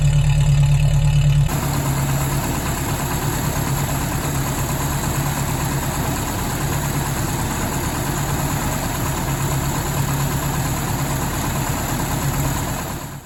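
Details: 1977 Toyota Pickup/Hilux Chinook, 20R engine with Weber 32/36 carb, fuel pump recently replaced: lumpy, uneven running with an irregular stumble about three times a second and low rumble; misfire at higher rpm, cause unconfirmed.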